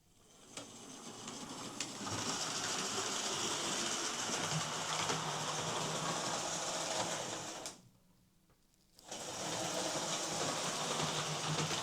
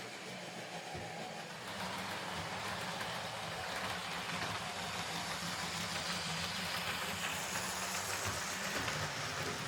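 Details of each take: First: Hornby R2558 County Class model locomotive, bought as poor runner, on power: motor whirs steadily with regular clicking about four a second from a gear with a missing tooth. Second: Hornby R2558 County Class OO model locomotive after a new drive gear and blanking plate: steady, even motor whir with no repeating click and cleanly meshing gears; normal running, though the cheap motor sounds unpleasant.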